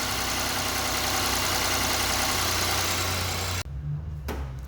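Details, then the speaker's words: Ford EcoSport 1.5 engine run with the manual gearbox removed: steady even idle with no knock or rattle; crankshaft ruled out, so the gearbox is blamed for the earlier rattle. "Prendemos el motor sin la caja y no tiene ruido."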